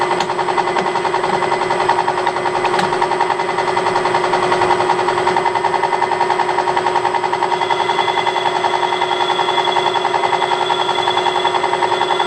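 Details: Harrison M300 lathe headstock gearbox before checking the new bushings' effect: steady gear whine with a fast, even rattle three or four times a second, attributed to worn composite gearbox bushings.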